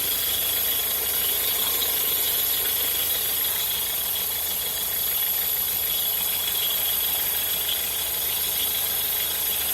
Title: Peugeot Partner 1.6 strange noise